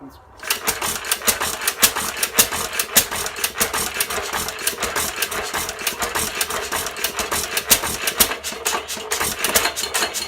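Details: 1917 Fuller and Johnson hit-and-miss engine, first run in ten months, primed, governor free: catches into sharp regular snapping beats with fainter clicks between, normal single-cylinder stationary engine running.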